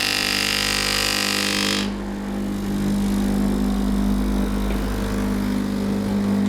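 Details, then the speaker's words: Sage (Breville) Oracle Dual Boiler, brand new, first setup: a brief loud rush, then a steady low buzzing pump hum drawing water from the just-installed tank to fill both boilers during a software update; loud fan also running; normal. "Well, anyway, you hear that as soon as I installed the water tank, it started pulling water immediately, even while doing an update download. And it's going to fill for a long time because it does have two boilers to fill up."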